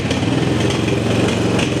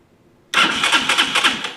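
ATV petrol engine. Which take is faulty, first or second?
second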